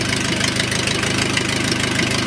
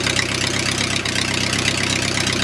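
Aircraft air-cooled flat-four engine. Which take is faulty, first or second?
first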